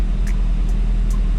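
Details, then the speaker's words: Seat Leon FR 2.0 TFSI after the coil and all spark plugs were replaced. The deep, lumpy idle stumbles about twice a second. The misfire followed the swapped injector from cylinder 2 to cylinder 3, confirming a faulty injector, suspected of sticking when hot. "wypadanie zapłonu czego nie ma cylinder 3 czyli znaleźliśmy przyczynę przyczyną jest wtrysk"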